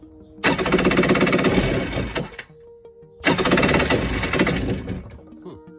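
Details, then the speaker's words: Xi 750 hull with swapped-in 650 engine, first start attempt on starting fluid, kill wires not yet connected, spark seems weak: two short bursts of rapid rough firing that die after seconds; engine catches briefly, possible backfire feared. "so it has some fire seems a bit weak but let's see if it does anything might backfire because i don't know if they're hooked up right"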